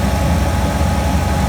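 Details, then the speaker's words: 1999–2000 GMC Denali/Escalade V8, first start after replacing fuel filter, oil pressure switch, coolant temp sensor, crank sensor and heater core, engine treatment in oil: deep, steady, even idle with no misses, knocks or ticks; normal idle. "Been down for a minute, but he's back. Sounds real good."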